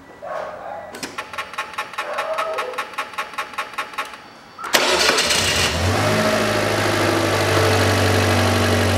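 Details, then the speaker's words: 1999 Mitsubishi Pajero iO, 4G93 engine, first start after valve stem seal replacement and a new SUN timing belt, with no leaks seen underneath. The starter cranks evenly about four times a second, then the engine catches cleanly and settles into a steady, smooth idle to warm up. A healthy start. "я тоже установил снизу посмотрел все не день и подтеков ничего нету опускаем заводим и прогреваем"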